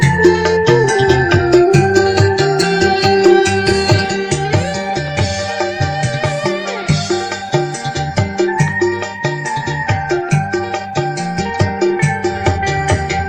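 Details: Keyboard amp with OCL 150 W power board, after hoarse sound fixed by replacing BD139/BD140 drivers with MJE340/MJE350 and 47µF 25V caps with 50V: music full and clean, no rasp, hum or crackle.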